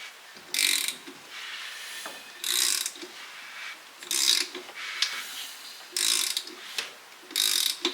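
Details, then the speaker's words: Built Subaru EJ207 engine that has never run, neglected and corroded, hand-cranked by ratchet: slow turnover with clicks and a dry scraping rasp each pull; sounds dry but makes compression, released as it unseizes. Dry cranking with compression. "So to me, it sounds dry, but dry isn't the worst thing, because as it seizes up, as soon as it unseizes, you hear compression leave. So it's making compression, which for a motor that's never ran is a good thing."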